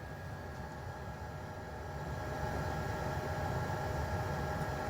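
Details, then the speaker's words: Chinese diesel heater after fixing a noisy fuel pump by isolating its rubber mount from the wooden board with lawnmower air-filter foam: steady blower hum with a soft regular tick, no pulsing vibration; normal running. "what a difference that makes I can't feel no pulsating going on this uh woodier at all"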